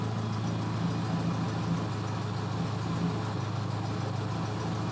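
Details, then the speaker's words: 2004 Subaru Impreza Outback Sport with no-power complaint, history misfire codes P0301–P0304: cold engine idling around 700 rpm, deep steady exhaust drone and even beat; normal idle, check engine light still on. "But now that we've got it fired up, it is not really idling out of the ordinary. It's actually a little bit low. Let me go look at the RPMs. It's idling between 500 and 1,000, so maybe 700 RPM, which is about where the car should idle."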